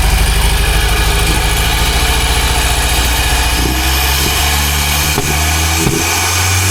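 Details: Rare Porsche 924 Turbo started after sitting 24 years, fuel pump jerry-rigged as it should only run for starting: runs on at elevated, uneven speed without throttle, never settling to idle, faint turbo whistle; cause unconfirmed.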